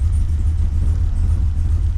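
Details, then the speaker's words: Holden VX SS Commodore V8 with rebuilt 4L60E, in drive with foot on brake, warm: deep slow even rumble at about 600 rpm; low idle speed, owner expects a tune to fix it. "wheels are not spinning RPM is pretty low maybe at 600 RPM needs to be higher a tune will will fix that"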